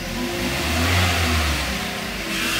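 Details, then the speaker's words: Kia Cerato automatic with all drive belts removed, engine running: a constant whirring drone persists, so the noise comes from the automatic transmission, not the belt-driven parts; car also engages gears late. "e o barulho é E aí ó tá vendo que o barulho continua então o que acontece o mecânico que abandonou esse carro aqui ó um Kia Cerato tá ele avalia o errado porque o barulho tá aqui no campo"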